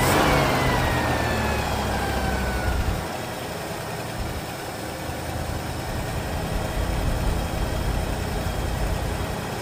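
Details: Partially restored classic Ford Fairlane that sat for years, first start after replacing hardened accelerator pump: catches, revs, settles to steady somewhat rough idle; smoking, transmission won't hold gear, suspected low fluid.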